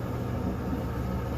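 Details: Kenmore-type dryer test run after the flat-spotted rubber drum support wheels were replaced. A low, even drum rumble with no thumping on each turn; the dryer runs normally.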